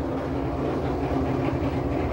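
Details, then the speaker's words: LG washer in diagnostic spin test at slow speed of about 45 rpm: steady rough low grinding rumble with a faint hum, thought at first to be the drum but traced to a failing drain pump motor; washer had stopped spinning. "hear that grinding noise i thought that was the drum and it's not spinning fast enough but according to the data it's supposed to spin around 45 rpms which it's doing"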